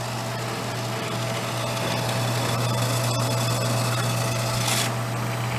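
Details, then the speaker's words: Vintage Harmon fireplace-insert pellet stove, long stored in a garage, first test run: steady low electric motor hum with light mechanical whir; auger feed motor turning normally. "that the auger turn? Yeah. So it's doing stuff. That's good."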